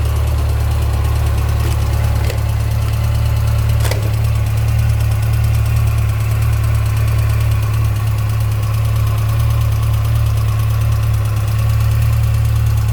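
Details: 2006 Yamaha FJR at 53,000 km: steady idle with a light, regular ticking about three per second over the engine hum; owner suspects the cam chain, unconfirmed.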